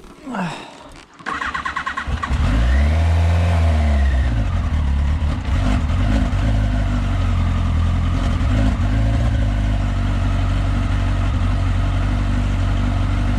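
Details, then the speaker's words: Yamaha XJR restarted after plugs and coils refitted, idles stable without choke; even idle about four beats a second with faint uneven clonks, owner suspects occasional ignition misfire, possibly plug caps, unconfirmed. "C'est pas franchement normal, ni les cloc-cloc qu'elle fait aussi. Raté dans l'allumage et que du coup elle rate un cycle de temps en temps, ça pourrait expliquer un peu les bruits."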